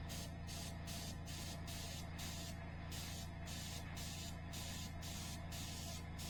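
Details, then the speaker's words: Iwata HP-CR airbrush on a quiet compressor at about 48 psi with latex paint: plain air hiss pulsing about twice a second but no paint comes out; airbrush sat for years, likely clogged with dried paint, needs disassembly. "I am getting nothing well I'm getting nothing and since I'm getting nothing sounds like I'm gonna have to disassemble my airbrush"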